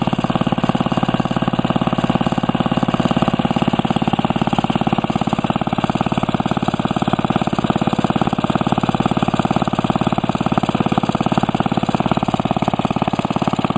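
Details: Restored 1945 Briggs & Stratton Model WMB single-cylinder engine with a rope starter, run after repainting; steady, even putter of about three beats a second with no knocks or misses; normal running.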